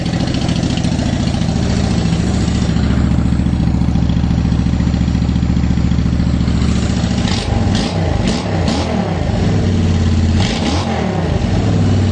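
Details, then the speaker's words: Honda Shadow Phantom V-twin after replacing worn-out fuel injectors (16450-MFE-641): steady deep even idle and crisp throttle blips, no more surging up and down; runs strong and healthy. "It sounds so mean. It sounds so much better. Is this placebo or does it sound better?"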